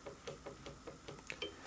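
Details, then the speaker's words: About five-year-old Hegner scroll saw, blade arm rocked by hand with the link held still: light, sharp clicks about five times a second; worn bearing in the cam link, replaced to cure the rattle. "And uh the noise that I've perceived has basically come from the fact that I think this bearing is worn."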